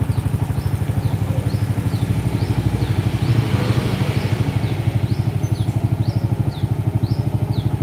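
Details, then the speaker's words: Single-cylinder motorcycle idling with battery disconnected, running only on a full-wave rectifier conversion: even, steady beat about three pulses a second, no stumbling, birds in background; stays stable when throttled, showing correct full-wave wiring. "muru Pak digas tidak makin Padang stabil Pak"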